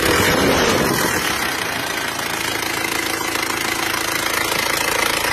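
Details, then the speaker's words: Panther diesel that burned 10 L of oil on a Jakarta–Blitar trip, idling after repair with oil level mid-dipstick: an even idle with steady clatter, no misses or knocks, and no smoke. Sounds healthy. "Normal ya, untuk asapnya normal. Tidak keluar asap. Normal."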